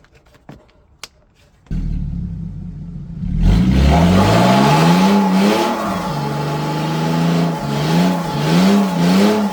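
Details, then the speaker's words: BMW E46 330ci abandoned over 6 years, revved: quiet then loud raspy exhaust rising and falling with throttle blips; catalytic converters missing. "This is the reason it's so loud. The cats are missing from there, but they are not missing from here up there."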